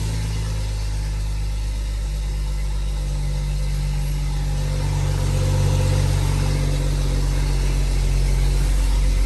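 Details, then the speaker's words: BMW M135i after rebuilding a seized engine with a reground crankshaft, on its first cold start: a deep, even, louder cold idle with a steady drone and no knocks or ticks, with revs settling down afterward. The engine sounds perfect. "as you can see the revs are sitting perfect it's a cold start obviously so it's a bit louder than usual in a few seconds the revs are going to start dropping down"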